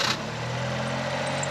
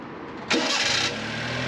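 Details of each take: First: Honda Beat idling with a thin, steady high-pitched squeal over the engine hum, from a loose alternator belt slipping on its pulleys. Noise persists after a look at the belt; it was fixed by tightening the belt. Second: Honda Beat started after the alternator belt was re-tensioned with its adjustment nut: a brief starter whir, then a steady, even idle with no belt squeal, confirming the fix. Normal start and idle.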